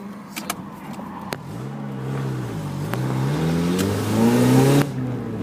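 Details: Mazda MX-5 engine revving up and back: sharp ticking puffs at low speed and a raspy edge rising with revs; broken exhaust leaking.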